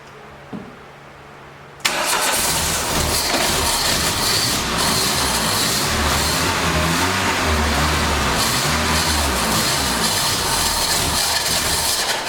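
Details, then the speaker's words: 1989 Dodge Daytona ES salvage-yard car, fuel system primed and fuel poured in: steady rhythmic cranking at about four turns a second that never catches; gas pouring in, an injector is flooding it out and likely needs replacing. "hopefully the injector is not stuck wide open oh man it's gas down in there that injector is flooding it out big time i'm probably going to have to change that injector out"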